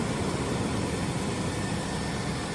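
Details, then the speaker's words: Flood-damaged S10 Blazer after its BCM was cleaned: an even, steady idle rumble with no stumble, skip or misfire. It runs smooth despite a small coolant leak at the thermostat housing. "no misfire. Yeah, no, it's smooth as silk."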